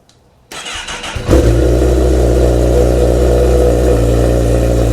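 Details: Honda CBR after a cam chain tensioner replacement, done for a buzz on the right side at 3000 rpm: the engine catches quickly, idles evenly and revs cleanly with no buzz or chain rattle.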